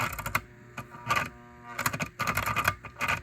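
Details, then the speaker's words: Lionel 247 Blue Stripe Scout B&O locomotive, $10 train-show find, on track before teardown: rattly gear clatter bursts stopping and restarting, creeping and self-reversing; found broken brush-plate wire, dirty sticking brushes, oxidized wheels, grease-packed gears, worn armature. "Okay, this locomotive is creeping along, changing directions all by itself. Going forward, going reverse, then forward again."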